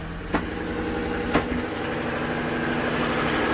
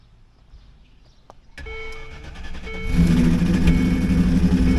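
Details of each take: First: Land Rover Discovery 2 with a three-year misfire, after fixing a cheap broken part: smooth, even idle with steady hum and no misses; all cylinders firing, number one header runner getting hot. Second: Land Rover Discovery 2 V8. Cylinder one is fully dead despite passing compression and having spark, with the fuel injector suspected. It runs with an uneven, stumbling lope and light top-end ticking, and a lifter or valve problem is suspected.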